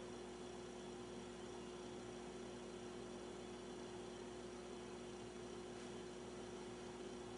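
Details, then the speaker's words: Philco 39-30 tube radio after recapping, first power-up: fitting the missing shield on the 75 tube stopped the howling that had started at low volume; now a low, steady, even hum with faint hiss, no howl; stable, normal. "all right it seems to take care of the problem that was a quick fix before i i could only turn the volume up uh a little bit before it would start howling"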